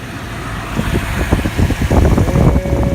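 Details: 2001 Toyota Tundra after a new serpentine belt and idler pulley: the engine fires up and settles into a steady, even idle with none of the earlier clacking from the failed idler pulley; sounds healthy.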